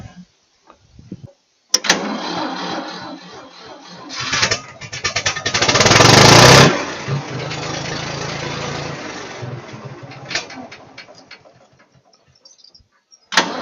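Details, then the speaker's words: 1966 Ford 3000 tractor after carburetor removal and rebuild and cleaning water from sediment bowl: cranks, fires, revs briefly, then steady even idle with no stumbling or misses and no fuel leaks, before warm-up and low-speed screw adjustment. "that sounds really good so I think I'll let it run and warm up a little and then I'll adjust this low speed screw so we get our best idle"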